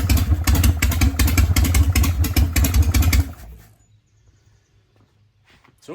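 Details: Harley-Davidson Panhead started dead cold with choke after resetting point gap and ignition timing, which was suspected of causing backfiring and running hot. Loping, even potato-potato idle with firm regular beats for three seconds, then shut off; timing now more advanced, clean firing.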